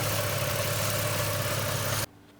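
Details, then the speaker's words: Barra Ford Territory/Falcon non-turbo petrol engine after new spark plugs (previously wouldn't start, ran rough): steady even idle with no misses or stumble before shutdown; running smoothly. "you can hear it there running and everything so you put the cover back on once you're ready and done the road test and happy with everything okay"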